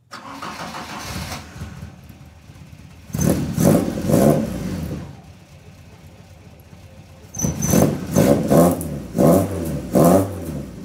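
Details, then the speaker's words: Mk2 Escort 'Maude' exhaust after welding work, revved in two crisp blips then settling to a soft, even, deep idle with no rasp; much quieter and less obnoxious than before but still a nice noise; normal exhaust note. "so yeah way less obnoxious but um yeah still a nice noise"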